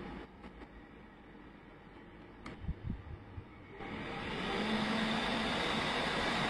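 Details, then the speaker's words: PC case fan (i7-3770 build) at its initial full speed before a fan speed controller turns it down: quiet at first, then a steady rushing whoosh with a low hum swells and holds, very loud. "tốc độ ban đầu của nó đây bạn nhé, nó kêu rất là to, mình giảm lại."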